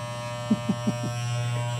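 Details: Wahl shaver after fitting new blades to replace chipped teeth and realigning them: clean, steady low buzz with a few light strokes and no rattle or labouring; normal running.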